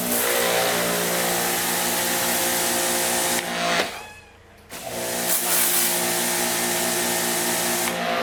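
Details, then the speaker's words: Greenworks electric pressure washer: loud steady buzzing whine with strong fixed tones, cutting out briefly and restarting; this unit runs noticeably noisy. "one's got all the noise"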